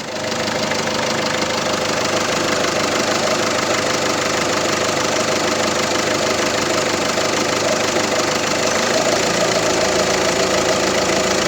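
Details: Peugeot 307 1.6 HDi diesel idling with an uneven light ticking, about two a second; the alternator's freewheel (overrunning) pulley has seized and clicks.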